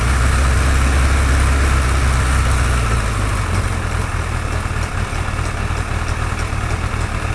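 Heavy throaty idle rising into revs with a faint quick tick carried along above the exhaust note; some top-end ticking, cause unclear.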